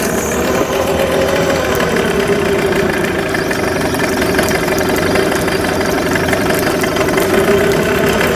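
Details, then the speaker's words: Yamaha 9.9hp outboard after full service, run in a bucket of water with a good impeller stream: even, steady idle with a smooth buzzy note, no misses or knocks; running healthy. "I'm going to shut the motor off and turn it back on. Starts first pull. Great motor."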